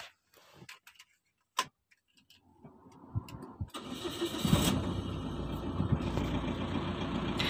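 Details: 2012 Mitsubishi Strada Triton Exceed after EGR repair for P2413, high temperature and low power, and after clearing the check-engine light: a few clicks, then a quick catch into an even, steady idle clatter with no misses or knocks.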